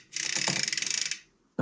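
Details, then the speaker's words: Trek Top Fuel carbon mountain bike build with newly fitted KMC chain on TRP drivetrain: rapid ratchet clicking as cranks spin backward with a dull clunk underneath when backpedalling; drivetrain clunk, cause unclear. "God you can just hear it clunking just as I back pedal"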